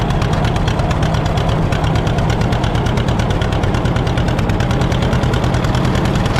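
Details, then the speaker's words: 1950 John Deere D, reassembled after fixing a corroded exhaust valve and a blown head gasket: heavy fast two-cylinder pop with deep thump at steady speed; owner says throttle speeds it up too fast, suspects the governor. "Something doesn't feel right. Cuz if you touch the throttle, it speeds up way too fast."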